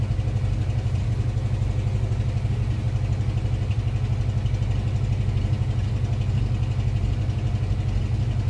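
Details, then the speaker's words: 1988 Ford Mustang V8 after pressure washing left moisture and corrosion in the distributor, cap and rotor dried and distributor retimed: steady idle with an uneven lope and stumbles; lingering miss, cap, rotor or distributor replacement suspected. "It's all right. Sounds like you still got a miss. You got to rough a little bit."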